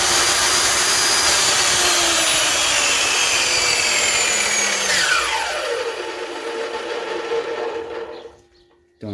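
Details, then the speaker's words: SKIL 3311 telescopic miter saw motor, after repair: steady high whine, then smooth coast-down, normal again. It had been failing with strange noise and heavy sparking from a carbon brush worn on one side, fixed by filing the brush. "aí pessoal voltou a ter o barulho normal dela e essa parte de baixo aqui era muito muita Faísca e agora ficou normal"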